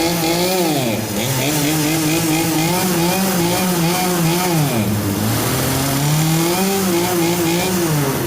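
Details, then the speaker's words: Curbside Poulan Wild Thing chainsaw just revived, running on a table; engine screams then bogs and struggles under load, needs more fuel on low (left) needle but too damaged to adjust: lean low-speed mixture. "You hear it bogging down under load, that means it needs more on the low, or the left, needle."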